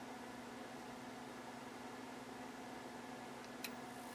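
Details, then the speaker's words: Dumont RA-103D Rumson television, switched on from cold. A soft steady hum from the set, then one crisp click about three and a half seconds in as the power delay relay pulls in: normal delay relay operation. "I'm going to turn the set on you'll hear the control click watch that it'll take a few seconds so sets on"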